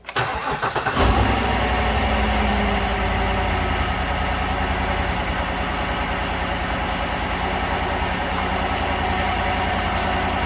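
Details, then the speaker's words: 2015 GMC Sierra 1500 Denali 6.2L V8 after repair of a bent number 6 intake pushrod, with rocker torqued and a new valve cover gasket. Codes not yet cleared; cranks, fires, steady idle with no tapping, shaking a little. Normal idle. "Well, that's a lot better. Let's put the scan tool on it, clear the codes out of it. Seems to be running okay, shaking a little bit."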